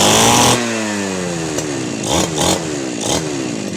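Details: Two-stroke 411 brush cutter, stored about a year with a no-start, after carb cleaning and refuelling: sharp buzz that settles, then picks up in several quick blips as the carb is trimmed; runs clean and steady, normal running.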